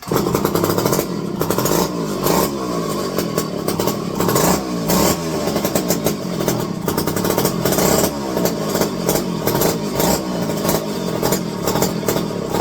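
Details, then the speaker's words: Electric-start McCulloch 510E chainsaw: catches and revs in ragged bursts, stumbling and bogging; flooding badly; owner suspects the carburetor is faulty. "Needs to think in there that this carburetor might not be worth a shit. Cause it's flooding it out bad."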